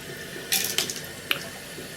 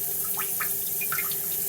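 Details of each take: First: Toilet cistern inlet float valve after replacing the diaphragm washer (Siamp 34951309): steady gentle rush of water, quieter, no earlier high-pitched whistle; filling normally. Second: Toilet cistern inlet float valve refilling after a flush, before repair: slow trickle with a thin steady whistle over the hiss, not filling fast enough; worn diaphragm washer (Siamp 34951309) restricting flow, replaced as the fix.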